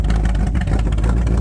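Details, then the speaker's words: C3 Corvette first start after sitting a year: valves adjusted, engine primed, stock manifolds and a carburetor from his truck fitted for cam break-in. Deep, steady V8 idle with an even beat and no knocks, burning a little oil from a leaking breather since regasketed; normal idle. "she is running she's idling sounding good burning a little bit of oil off the Breather was leaking I had to put a new gasket on it"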